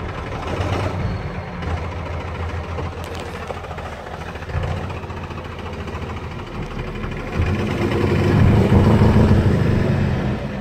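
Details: Cummins 12-valve diesel, rebuilt, timing about 16°, new lift pump, filters, governor springs and overflow valve: heavy, uneven, stumbling idle with surging near the end. Misfire and rough idle that worsen after a few miles until it dies; cause unclear.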